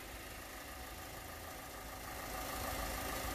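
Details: 2017 Hyundai Elantra idling after the negative-cable battery sensor was replaced for an intermittently flashing battery light (new alternator, battery about 1.5 years old): quiet, steady idle with an even hum, no knocks or misses; healthy.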